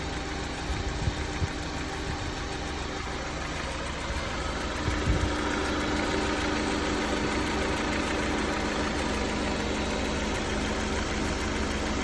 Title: S2000, maybe TCT rattle or Piston slap? Hood open